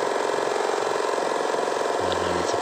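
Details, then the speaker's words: 2500 generator (genset) after repair of an oil leak, with the magneto/flywheel side opened to reach the suspected oil seal: smooth, even idle at constant speed, no misses, knocks or surging; engine now runs fine. "halus tidak ada masalah tadi masalahnya cuma ada isi aja"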